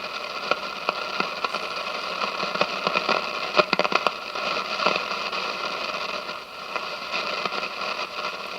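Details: 1957 General Electric model 875 All-American Five tube radio with weak sensitivity; hissing static with sharp crackles and pops, volume coming and going and sagging near the end; silver mica disease in a capacitor, automatic volume control also questioned.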